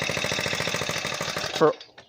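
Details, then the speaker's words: Small 4-stroke foldable scooter engine just after pull-starting: quick even popping beat, steady for over a second then cutting off; running normally, apparently on choke. "I think it was already on choke already, so I think I can take it off."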